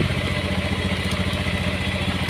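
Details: Honda Beat FI scooter, battery disconnected while idling to measure regulator output: steady, even idle putter with clean low beat, no knocks or misses; charging good at 13–14 V, fault traced to battery.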